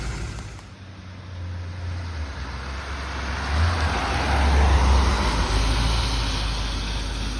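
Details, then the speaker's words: 1963 Ford Thunderbird 390 V8 after replacing the exhaust (blown left manifold donut, perforated tailpipes, blown mufflers): smooth, deep, even rumble while driving, quiet with no puffing or ticking leaks; normal exhaust note after repair. "There it is, guys. Nice and whisper quiet. No more exhaust leaks. Doesn't sound like a bomb going down the road now."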